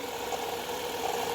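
Idling car engine with a steady whirring hum near 500 Hz, pointing to a worn alternator bearing. Cause suspected, not confirmed.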